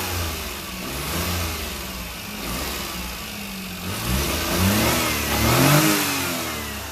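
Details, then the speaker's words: Lifted 4x4 mini truck, air filter lid on, frame-routed snorkel intake likely plugged with mouse debris: idles but revs climb sluggishly and sag on each throttle blip, trying to die; engine starving for air. "as soon as I start it up it'll idle fine once I try to give a throttle it's going to try to suck up some mounts debris from some place"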